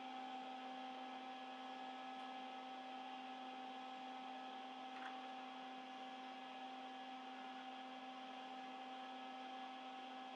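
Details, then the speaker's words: Early-1970s blue-line Ampeg SVT bass amp during balance adjustment: steady buzzing hum with low and higher tones from the output transformer laminations while push-pull balance is off; the balance is correct when quietest. "when you do this with an amp you can hear the laminations and the output transformer hum and the balance is set properly when it's the quietest"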